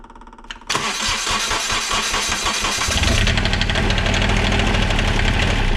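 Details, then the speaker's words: Onan QuietDiesel 7500 W generator from 2000 Holiday Rambler Endeavor RV, 2400 hours, after full service with new fuel filter and primed fuel line: brief crank then steady even diesel clatter; successful test run, starts and runs normally. "I'm going to call that a successful test run."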